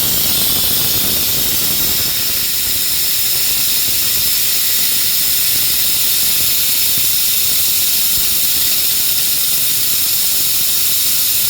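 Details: Shop compressed-air hose leaking while working on a Honda mower: constant loud high hiss, steady with no rhythm. Air hose leak.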